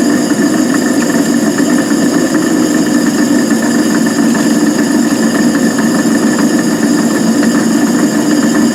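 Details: Van Wert coal stoker on Gentleman Janitor JG5 boiler, running pea-size anthracite after six days: constant droning hum with gritty whir and loose uneven knocking at steady speed; noisy worn gearbox, cause not confirmed.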